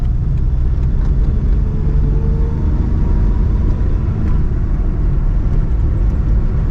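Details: 2021 Suzuki Alto VXR/VXL 660cc at high rpm on highway around 120 km/h: steady high-revving hum under heavy road and tyre rumble, no knocks or surges; healthy engine.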